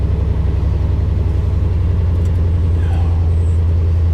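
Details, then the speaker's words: 1971 Chevy C10 salvage-auction work truck fired up: deep, even V8 rumble with a steady loping exhaust beat, no knocks or misses; normal idle. "Let's go ahead and fire it up. Oh. Ooh, the exhaust sounds good."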